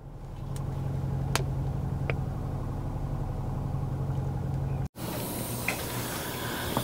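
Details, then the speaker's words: 2022 Kia Sorento with check engine light and misfire codes, running very badly: petrol engine idles roughly with an uneven, stumbling low thump from a cylinder misfire. "it's got a check engine light and it uh it's running bad it's running really bad"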